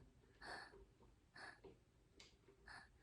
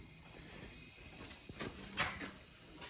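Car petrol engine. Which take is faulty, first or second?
second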